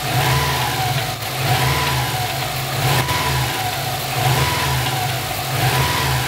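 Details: Subaru engine revved repeatedly; as revs fall after each blip, a tinny metallic rattle is heard, seemingly from the turbo area.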